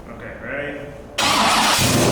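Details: C6 Corvette drift car, 427ci single-turbo LS V8, first start: the starter spins briefly, then the V8 catches and holds a loud, uneven, unsettled idle.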